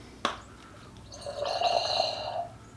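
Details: 2007-11 Honda CR-V rear differential pump, reassembled during PTU kit install and turned by hand: sharp click, then wet sputtering gurgle ("farting"); pump spins and is pushing pressure into the diaphragm normally.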